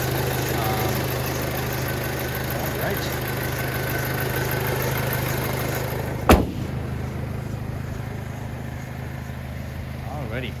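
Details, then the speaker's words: 2006 Audi A4 Quattro 2.0-liter turbo, recorded in the engine compartment: an even, steady low idle hum with no knocks, ticks or stumbles, then one sharp thump; a smooth, healthy idle. "so as you guys can see this uh engine is 2.0 liter turbo the turbo is located right down there so the engine runs nice and smooth"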